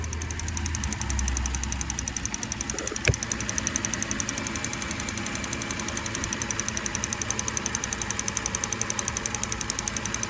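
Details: 2008 Cadillac CTS 3.6 LY7 petrol V6 at cold idle: a fast, even, light ticking over a steady idle, louder on the passenger side.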